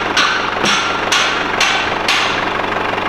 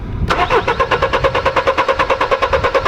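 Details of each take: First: Mercedes W210 E220 CDI diesel, which cranked but wouldn't start once warm with crank/cam sync codes, idling after a new Bosch crankshaft sensor was fitted. Steady, even clatter with no stumbling or hunting; healthy idle. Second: Mercedes W210 E-Class 220 CDI, stalled when warm, codes P1354 (no crankshaft signal): steady starter cranking about eight pulses a second with no firing, scope shows no crank sensor signal; faulty sensor to be replaced.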